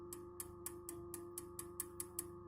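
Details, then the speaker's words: Orange RockerVerb 50 amp, mic near the speaker, tapping a power tube: light even taps over a steady amp hum with no ringing or howling; this power tube is not microphonic. "Alright, so this tube, not microphonic."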